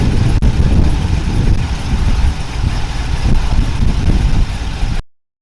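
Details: LS-swapped OBS pickup, 6.0L V8 with Brian Tooley Racing truck cam, 4L60, after valve covers, plug wires and coil relocation and the engine noise fixed, awaiting tune: deep, steady idle, even low rumble, no knocks or rattles; normal idle.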